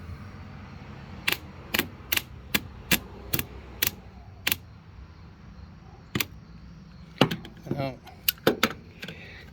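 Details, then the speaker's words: Older John Deere LT150 mower: sharp single clicks about every half second with no engine turning over; starter clicking, no crank, starter windings believed dead, new starter to be ordered. "believe that the windings inside this guy have died we will uh order a new starter"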